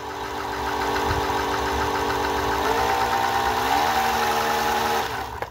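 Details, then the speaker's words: Singer 431G sewing machine converted to a low-voltage high-speed motor, sewing denim: loud steady humming whine because the drive gear was fitted in the wrong position and dragging; it runs much quieter once the gear is correctly placed. "okay so Dumbo here just realized that I hadn't put the gear on in the right location it's got to be specific LLY in the right place so it doesn't drag and that's why it was making that loud"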